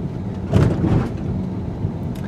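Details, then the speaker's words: 2019 Ford Edge ST 2.7L EcoBoost on 21-inch wheels driving over mild speed bumps at about 20 to 25 mph: short burst of deep dull thumps, then a settled ride; normal big-wheel thump. "smooth but you hear that thumping from the big wheels"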